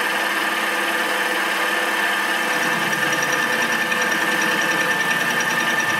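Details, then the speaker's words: Homemade fly cutter facing scrapyard metal, slowed down a lot from before: even spindle drone with steady light tool contact and no squeal or hammering, leaving a nice surface. Light cuts only; normal fly cutter cut. "I have slowed it a lot down, and then it is much better. You can see it making a nice surface there."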